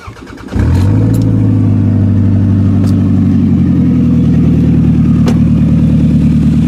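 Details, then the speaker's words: A 2000 Toyota Camry catches after a brief crank and settles into a loud, raspy, puffing idle, on cold weather, after an ignition coil repair. The exhaust leak has worsened because the flex pipe is totally rotted out, leaving almost nothing from the tailpipe. "is there was an exhaust leak. The exhaust leak has gotten a lot worse."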